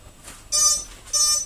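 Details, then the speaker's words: TAL-Q quadcopter powered up after the handset is switched on first: two short, high-pitched beeps as the motors acknowledge they're on, a normal startup. "and the motors acknowledge that they're on"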